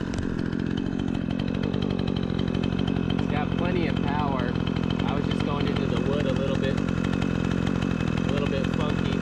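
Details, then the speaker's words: Repaired Remington 46cc two-stroke chainsaw with sharp chain cutting large tree-branch logs: strong, steady high-rev buzz holds up in the cut without bogging or stalling; running nice and strong, healthy engine under cutting load. "what do you guys think we got a pretty good runner here P's nice and sharp got a huge pile of [Music] chips seems like it's running nice and strong"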